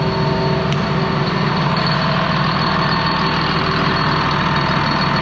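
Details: Ex-US Army Cat D6R bulldozer revived from inoperative, after cycling the hydraulic cylinders; deep, steady diesel idle with even beat and faint higher hum; normal idle.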